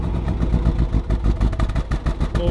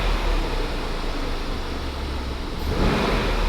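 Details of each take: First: 2021 Range Rover SVR, crash-damaged salvage-auction car started on the trailer: lumpy, uneven idle with irregular pulses and dips, a rough-running misfire close to stalling; it then died. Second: Crash-damaged 2021 Range Rover SVR V8 from salvage auction, ran badly until extra jumper pack added for weak battery, engine light now off; deep steady slightly lumpy burble, light revs settle cleanly; normal idle.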